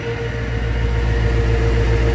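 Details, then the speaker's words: After repair, the car idles steady and even with a smooth low pulse; the earlier ticking and hesitation are gone, leaving only the normal kicks for this type of car. Normal idle. "the car is running perfect right now there's no hesitation no ticking other than you know the normal kicks that the type of car has"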